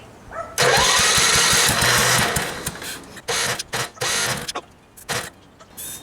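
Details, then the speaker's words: Gravely tractor with a new aftermarket carburetor, fuel troubles blamed on ethanol, and a new battery; it cranks, catches, then surges, sputters and keeps cutting out, with a fuel delivery problem suspected from a failing pump or debris in the system. "Alright, so I got it running, but obviously there's a problem in the fuel delivery somehow. Either the fuel pump isn't pumping, or there's some trash in there or something."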